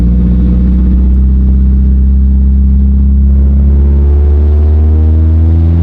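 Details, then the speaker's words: 1994 Mazda Miata driven around the neighborhood after spark plug and valve cover gasket replacement: deep, booming loud exhaust climbs with revs, so loud the engine's running condition can't be judged. "The the problem right now is the exhaust is so loud that I can't actually like tell how the car is running."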